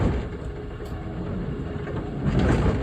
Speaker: We're in motor on. We're on sweep enable, no clank,